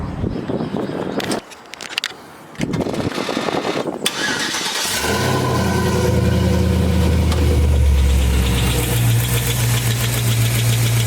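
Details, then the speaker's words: 4.8 LS V8 from a 2007 Silverado swapped into a Caprice: after cranking, idle with a quick steady light tick; traced to one faulty lifter out of 16. "finally found out what the uh what that ticking was it was the lifter there we go it's just that one lifter out of all 16"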